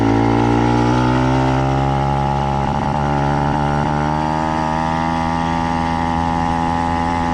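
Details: Warm 70cc Minarelli two-stroke motorized bike with a modified G2 reed valve, clutch fully disengaged: buzzing idle whose pitch wanders up and down. Unstable idle persists; head, squish gap, spark plug and ignition timing still unaddressed.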